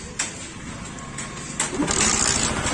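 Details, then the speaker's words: Bajaj Pulsar 135 LS motorcycle after a full engine refit and service. After a short crank it starts and settles into a quick, even putter: normal engine start, with good engine sound. "Play करना start हो गया हमारा यह गाड़ी बैठ तो यह जो अकाउंट है में काफी बढ़िया सामने आया"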